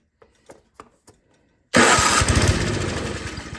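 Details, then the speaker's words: Toro 521 snowblower carburetor with main jet screw turned in too far, restricting fuel: a few pulls, engine catches with a rough burst then sags and dies; lean mixture, starving for fuel. "so now it's in there too much it's not letting enough gas so let me show you what it was doing"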